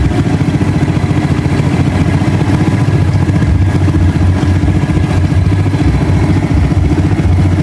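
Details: Rusi 110 motorcycle after new regulator, voltmeter check: even single-cylinder putter at fast idle, steady and unbroken; normal idle, charging now 14.5V versus 12.5V before, so the battery will no longer discharge.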